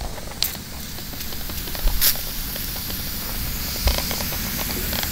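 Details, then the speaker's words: Propane tank being emptied for a smoker build: steady sharp hiss as soon as the valve opens, leaking heavily; bubbles show both the fitting and the valve leaking. "first off we're just gonna open and listen here it that's leaking like crazy"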